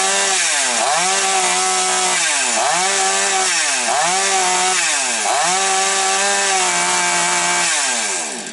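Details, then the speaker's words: Chainsaw at full revs: the high two-stroke scream dips and climbs back about every 1.5 seconds, slight surging at maximum from imprecise fuel metering at the carburetor needle lever. "Є маленький грішок за голкою. Ну, але то таке вже чуть-чуть на максимальних підгулює, тобто порція палива трошечки не чіткає."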